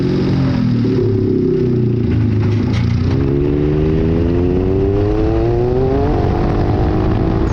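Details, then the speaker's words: Mitsubishi Mirage-coil COP ignition, injectors tested, plugs regapped to 0.018 in: engine pulls under 17–19 PSI boost but stumbles and breaks up, a misfire; owner suspects a bad stock coil, later replaced with Hitachi R35 coils. "up after checking the data logs I was able to hit between 17 and 19 PSI on that last run but it is still breaking up I'm still of the opinion it just sounds like a bad coil"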